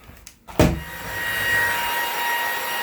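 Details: Ryobi 18V stick vacuum after repair of a broken wire to the control board (roller bar wasn't turning), reassembled and switched on: brief handling knock, then steady even motor whir with faint high whine; running normally.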